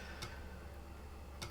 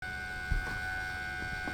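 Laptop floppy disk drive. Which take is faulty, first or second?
second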